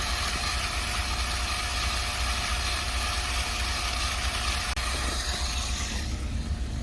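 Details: Water transfer pump drawing from a nearly empty fill tank (20-30 gallons left) into an under-house storage tank: a steady, even hum with constant rushing flow and no surging or rattle, before the sound changes when it runs dry; normal pump operation.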